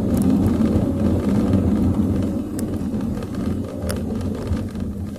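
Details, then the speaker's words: Car test-driven with sudden full braking over humps and rough road after cleaning rear drum brake shoes and drums and checking adjustment, aircon then on; steady road and tyre rumble, no knocking or clunking; rear brakes normal. "So far, wala na akong naririnig. May mga uli aircon. So okay mga paps."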